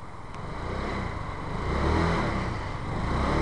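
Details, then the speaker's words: Scooter with about 7,400 miles in 5 years, after chasing an oil leak through two head gasket replacements; valve springs previously replaced with heavy-duty springs: steady even engine note swelling smoothly with mild throttle, no knocks or rattles; sounds nearly like new. "oh, and listen to this thing. Doesn't this sound gorgeous?"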